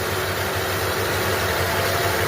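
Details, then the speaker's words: 1964 Dodge Dart carbureted engine, first cold start after sitting many months, one pump of the gas: uneven loping idle that sounds like it's skipping; owner suspects the plug wires, not yet replaced, rough cold idle. "Sounds like it's skipping a little. But, I haven't done the uh the uh the wires yet. I need to do that. All right, we can call that a a cold start. Nice. Running a little rough. But, she's running."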